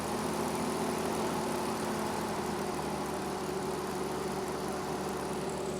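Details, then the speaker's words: 1950 Dodge Power Wagon first run after setting the timing, started on a jump pack with the choke pulled: even, steady idle with a smooth low hum and no knocks or misses. Normal idle. "that sounds absolutely sweet"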